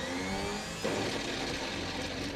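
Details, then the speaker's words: 1972 Chevrolet Malibu four-door hardtop after sitting 25 years in a field, starter wired directly: steady motor whir without the engine turning; the starter drive isn't kicking out to engage, starter sounds loose and worn, and its wire gets hot. "Oh, we got no startage. That's great. The starter is no good."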